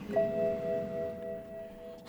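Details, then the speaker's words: BMW M6 with 5.0-litre V10, key inserted and ignition on before start: a single clear two-tone chime fading over two seconds, a warning for a failed rear number plate bulb. "warning light for the rien numberplate bulb"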